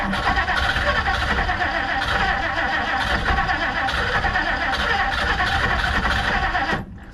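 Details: 1959 Plymouth Savoy, totally cold start on a dead battery with a booster pack. The starter churns steadily for several seconds without catching. Owner wonders whether the fuel pump needs priming; the carburetor still needs a rebuild.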